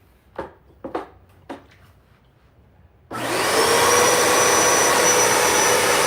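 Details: Royal shampooer, upright use after being cleaned up: a few light taps, then a steady, even motor roar with a faint constant whine; runs normally, though a pump button had been accidentally switched off so no water came.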